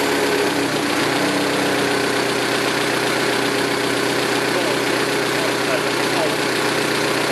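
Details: 2006 Saturn ION Redline with GMR cams and stock lifters: quick, light ticking, about four per second, over a steady idle. Suspected lifter tick from the valve train; owner concludes solid lifters are needed.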